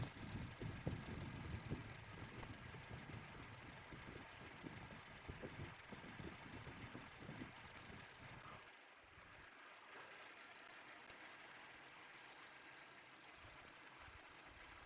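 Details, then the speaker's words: 2020 Subaru Ascent turbo, 66k miles, at idle: rhythmic huffing puff with a light tick at each exhaust stroke, strongest near the turbo; passenger-side exhaust manifold gasket leaking. "what an exhaust leak is going to sound like through this is a little Huff Huff Huff Huff Huff hu as that cylind cylinder pushes out the exhaust gas"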